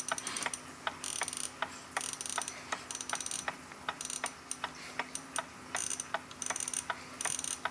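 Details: Copal RP-160 flip clock, serviced with its motor cleaned in isopropyl alcohol, is rechecked after the front case is refitted. Short, bright buzzing bursts sound with light clicks between them; the alarm works properly and the clock runs smoothly.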